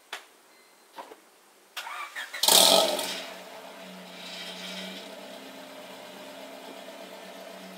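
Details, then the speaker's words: 2000 Honda Civic after installing an eBay 4" rolled-tip exhaust, fine up to about 3000 rpm and loud above it: short sharp crank and catch, then a quiet steady idle with no revving; normal start and idle. "with that being said I'm gonna go ahead and start it up and I'm gonna rev it up a few times and see you guys in a few seconds"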